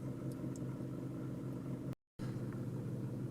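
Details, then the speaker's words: Toyota Camry after battery disconnect, warmed up, in drive, AC off, after about seven minutes of idle relearn: low even rumble, no stumbles or misses, idle smoothed to about 750 rpm; normal idle. "all right i've let this idle for about seven minutes now and it's smoothed out nicely at about 750 rpms which is just about right"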